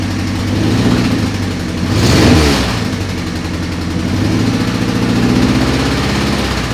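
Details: 1988 Honda CRX Si, B16A swapped for a B18C Type R engine and transmission, first start: catches and settles to an even idle, one clean rev around two seconds dropping back smoothly; sounds healthy.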